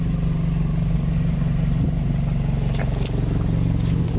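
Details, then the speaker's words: Toyota AE86 4A-GE after Martelius header and Fujitsubo exhaust install, first start at idle: loud raspy puffing from a huge exhaust leak at the front, blamed on a poorly fitted homemade test pipe, to be replaced with a T3 test pipe. "I'm pretty sure it's because the crappy test pipe. Test pipe? Yes, because I had to twist that thing on there to get it to sit in. Here's this huge exhaust leak in the front"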